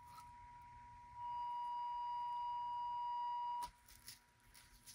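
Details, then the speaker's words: Mid-1930s Airmaster 5-tube radio, test signal fed at the 25L6 output position, field coil energized with a 9 V battery: steady mid-pitched tone jumps clearly louder, then drops when de-energized; speaker and output transformer working. "You can hear the difference that makes [Music] deenergize the fuel coil. Big difference."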